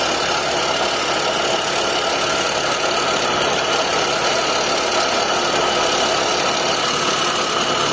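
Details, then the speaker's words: Mitsubishi Lancer, 4G15 or 4G13 engine, idling with A/C off and radiator fans unplugged: harsh gritty metallic grinding from the compressor; worn compressor pulley bearing, quieter with A/C on. "So andito yung problema natin nasa compressor."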